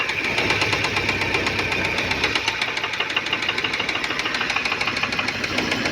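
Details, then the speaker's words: Car with oil warning light staying on and little power: quick, regular, loud metallic knocking from the front of the engine at idle, several per second; bearing knock from oil starvation. "Só que tá batendo lá na frente [Aplausos] bastante."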